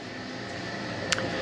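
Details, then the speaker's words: Heatmaster G10000 outdoor wood boiler before deep clean, turbulators nearly stuck: loud steady rushing drone from draft fan with faint whistle and brief tick; fan sounds rough. "I got a lot to do today and this is the last thing I want to be doing so but it needs to be done because the fan sounds like crap turbulators are almost stuck"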